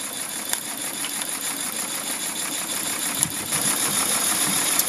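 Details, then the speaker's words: Mamod Quarry live steam locomotive (SM32, 16mm gauge), jacked up on blocks, running in steam super slow: soft, quick, even ticking chuff over faint hiss, no knocks; normal smooth running. "and here she is running super slow and as you can see super smooth"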